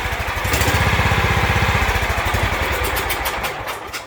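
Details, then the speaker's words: John Deere L110 with Kohler Command 17.5 hp after no-start repair: long even cranking about four turns a second to pump fuel into empty carburetor, then engine catches and starts normally. "i'm going to let y'all hear how much it's got to turn to fill that carburetor up it may not be as much as i think but here we go"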